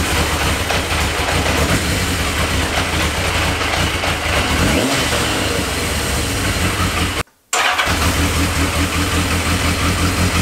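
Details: Yamaha XJ650 four-cylinder after engine service and battery charge, carbs untouched, idle may need adjustment; even idle that picks up cleanly on throttle and settles smoothly, no misses or knocks; normal running.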